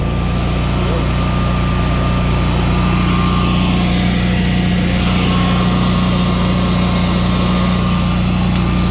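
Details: Generac Evolution 2 16 kW standby generator, just after replacing the Wi-Fi control panel, run in manual: steady even hum with a constant low drone, no misses, knocks or surging; running smoothly.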